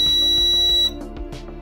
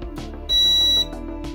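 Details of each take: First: Maytag dryer whose heating element stays on when the drum isn't spinning: a multimeter continuity check beeps twice, showing the element coil touching the housing. Heating element shorted to housing. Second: Old Maytag dryer heating element that stays on, tested with a multimeter across its terminals: short, clear high beep of about half a second shows continuity through the element loop, so the element is intact; element suspected of touching the housing.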